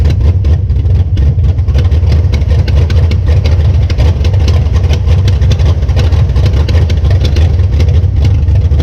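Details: 1966 Belvedere V8 after swapping a flooding cheap Quadrajet for a rebuilt used Edelbrock carburetor: deep rumble idling and blipping cleanly, no stumble or bog, no longer flooding; normal running.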